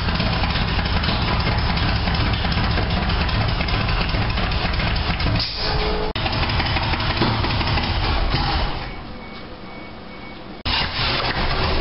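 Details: 1987 Toyota Supra MKIII with Chevrolet 350 Vortec V8 and 700R4 after rebuild; earlier backfires fixed by turning distributor cap 180° and resetting valve lash. Deep steady rumble, even firing, dips briefly then recovers, no misses or backfires: normal idle.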